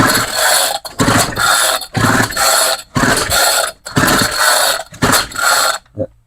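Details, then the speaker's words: Homelite string trimmer that died after about five minutes, with a new carburetor fitted, fuel priming and choke on: about one rasping pull-cord stroke per second with no firing; cranks but won't start, owner wonders about timing. "Is timing off on this thing? Huh. I don't think I'm going to get this thing started."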